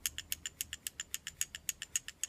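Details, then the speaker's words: XDS pistol, unloaded and previously fired, shaken: quick light metallic clicks about seven a second from the free-floating striker rattling; perfectly normal. "you hear that that's the rattling that people are talking about and they worry about it because it's um make some weird noise and it's not supposed to do that the xds has a free-floating striker in it that rattles around in there"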